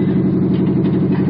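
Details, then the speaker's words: 1977 Monte Carlo, not yet warmed up after sitting a day or two: fast cold idle with uneven, lumpy, stumbling pulse, choppiness better than before; rough high idle when cold. "Still not fully warmed up yet. Still not there. Like I said, you can hear the choppiness of it, or at least the cutoff that it was doing before to be, a lot better."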